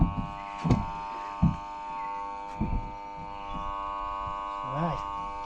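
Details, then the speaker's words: PowerG portable bench saw: powered on, the motor gives a steady electrical hum but the blade does not spin; motor stalled, brushes suspected worn, not confirmed. "Well, you could hear that buzzing, so obviously it was right in saying that it needs bushes."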